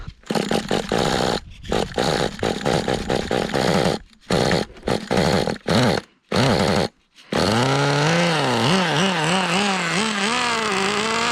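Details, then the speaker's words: Kyosho Pure Ten Alpha RWD Ford RS500 GX15 nitro engine, test run 2 after body vents drilled for cooling: ragged buzzing bursts, cutting out and hunting in revs, going so rich it dies; carb leak seen, owner suspects air leak swinging mixture rich/lean. "Yeah, so it's getting so rich that it just dies on its own. Okay, let's... Oh, there we do have some sort of a leak in the carb."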